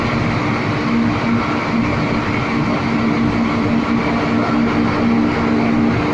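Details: Three MAN 700 kVA diesel gensets with auto synchronising, running on a routine warm-up after an automatic start; steady even diesel drone with a constant low hum and no knocks or surges, healthy running.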